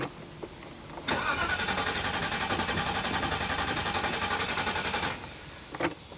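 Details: 1985 Mercedes 500SEC, rescued, fresh gasoline and battery hooked up on a 95-degree day: steady starter cranking about four seconds, three to four beats a second, no firing; cranks but won't start, fuel pump suspected.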